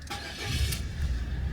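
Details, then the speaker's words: Car engine after a cambelt replacement, second start attempt after refitting the HT leads (owner hoped it wasn't flooded): catches on the first crank and settles into a steady, even, smooth low idle, with the belt running nicely. Normal start and idle. "one click just like that nice and it's running nice and smooth and there she is she's singing and puring nicely"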